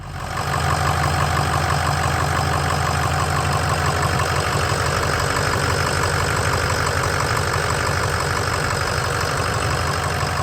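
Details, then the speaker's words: 2005 Ford F250 6.0 Powerstroke after repair of a progressively worsening front-end vibration and rumble: even, steady diesel clatter at idle with no rumble or shake; normal diesel idle, much quieter than before. "is it clatter good are you happy drastic difference so much wider all you hear is what you're supposed to hear now"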